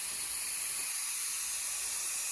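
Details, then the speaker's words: Instant Pot cooking brown rice, a little over 1 minute after releasing the pressure valve: even, airy hiss with no rumble underneath, steam bleeding off steadily, very little hissing as it nears the end; normal pressure release. "It's still hissing a little bit. And it's been a little over 1 minute since we released that valve. I know it's almost up because it's making very little hissing noise."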